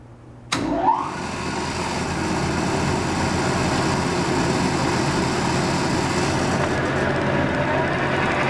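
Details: Worn, roughly 70-year-old Pacemaker lathe running in neutral: the motor hums steadily with a faint tick in the headstock, slower than motor speed, and none from the chuck. Owner doubts the input shaft or pulley, though the pulley was suggested.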